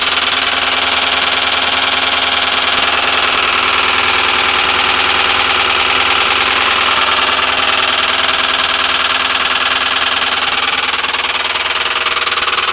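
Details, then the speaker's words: 1996 Ford Crown Victoria with 170,000 miles: hard steady knock, about four per second, at idle from the bell housing, located with a stethoscope. Timing and valves were checked OK. Owner is nearly sure it is a cracked flex plate. "Engine runs just fine. Just a heck of a racket. Put stethoscope on the engine everywhere. Most of the noise was coming from the bell housing."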